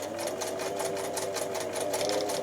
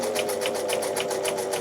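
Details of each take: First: Singer 247 sewing machine, motor brushes checked, belt and motor reinstalled, running at steady low speed; even, rapid mechanical chatter with no knocks, smooth and fairly quiet for this model, noisier at higher speed. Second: Donated Singer 247 sewing machine, cleaned and oiled, sewing at higher speed: a sharp clack about four times a second in step with each stitch, a clonking that is definitely an issue, cause not yet found.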